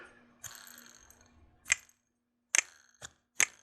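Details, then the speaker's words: Mr. Christmas Double Decker Nottingham Fair Carousel motor, spun by hand. Irregular sharp clicks, like a card in bicycle spokes, plus clunking from armature lateral movement; the motor is worn out. "Sounds like a card in the bicycle spokes. Also, the armature has lateral movement. It's clunking inside. So this one's just worn out."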